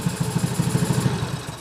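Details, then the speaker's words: Honda Beat carburetor scooter with high fuel use, idling: even pulses, then it stumbles and dies when the top of the main air jet passage is covered, which should not happen in normal condition; caused by a failed automatic choke. "Nah, seperti ini seharusnya tidak seperti ini ya, teman-teman. Untuk kondisi yang masih normal seharusnya tidak seperti ini. Dan ini diakibatkan dari bagian cuk otomatisnya."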